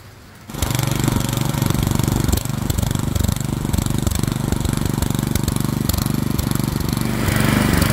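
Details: Craftsman snowblower model 247.889571 with 179cc engine, running after the throttle slide stop was backed off to raise rpm; catches at once and settles into a fast, even firing beat with no misses or knocks; normal running at raised speed.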